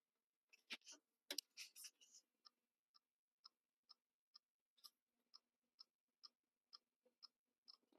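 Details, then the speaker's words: Compaq Armada 1130T laptop showing disc controller failure errors: a few louder clatters, then faint, steady high clock-like ticking about twice a second; hard drive clicking, likely dead. "It's a Wonderful Life here and the hard drive is clicking away and I think that's pretty much pretty much a goner"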